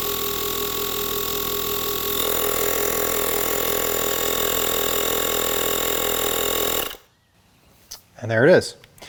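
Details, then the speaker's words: ULIXWH air compressor/jump starter inflating a Mercedes tyre from 31 to 33 PSI; steady buzzing hum with even whine for about seven seconds, then it shuts off automatically at the preset. Normal running. "I'm going to press the power button the bottom center button one time and it's going to inflate"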